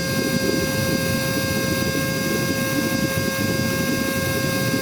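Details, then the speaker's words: Cordless vacuum (little dolphin) run from a full charge, about four minutes in. A steady high motor whine with even airflow hiss, its pitch sagging slightly as the battery runs down. The motor is slowing under low battery. "Okay, I already hear the power go down. I already hear the power go down. You hear the power value, the sound coming down now."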